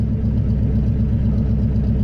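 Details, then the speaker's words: Engine with a retuned Holley carb, reassembled and in neutral, fires right up: a smooth, even idle. AFR reads upper 14s to 15, maybe a little lean, with vacuum around 18 and steady. Normal idle. "all right so we got everything good and reassembled here we're in neutral fires right up with the turn of the key"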